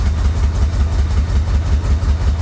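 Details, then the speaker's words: 1985 Chevy Corvette long-sitting swamp rescue with the pump resubmerged in the tank, running with the pedal to the floor and smoking heavily: a low, lumpy, uneven throb as it labours and stumbles. Rough running, cause unclear. "I've got the pedal to the floor uh this is the best it's done so far obviously it's it's not very happy but it's running I mean what more do you want"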